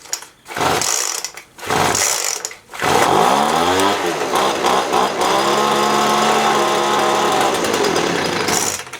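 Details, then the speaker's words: Poulan Pro leaf blower after new primer bulb, carb cleaning and air filter clean, primed and lever on start: three cord pulls, then it runs surging up and down, sounding lean and starving; low-speed mixture needs opening up. "I'm going to open up that low speed it sounds like it's starving I'm going to just open up a little bit"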